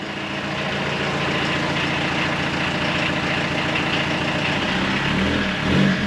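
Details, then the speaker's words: 1984 VW Rabbit Mk1 diesel, parked 26 years, running after revival: steady, even diesel clatter with no misses or knocks and no smoke, and it starts charging (battery light off). Normal running. "all right bye [Applause] this thing is running"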